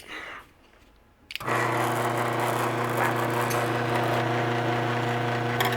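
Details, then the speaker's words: Garage door opener motor run on a hard bench: loud buzzing drone with a steady fast rattle as vibration drums through the surface; it is quiet when set on a towel, so the noise is the mounting surface resonating. "yeah, everything that I have sitting on is making all that noise, but if I have it sitting on the towel, it's pretty quiet actually."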